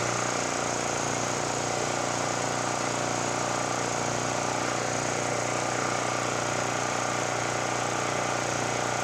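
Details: Generac GP5500 generator running after a no-start repair, tested with a kilowatt meter; smooth, even, steady, loud drone with no misses or surging: normal running.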